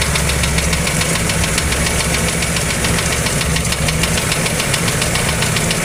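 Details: Toyota 2E engine (Corolla) idling: rapid, somewhat uneven knocking about three to four raps per second over a steady low rumble; engine knock, source undetermined.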